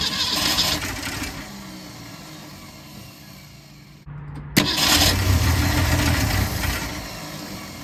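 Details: 1964 Ford Falcon wagon, sat 46 years, cranking after a new fuel line with built-in filter: starter churns steadily several seconds without catching, then cranks again; no fuel delivered to the filter.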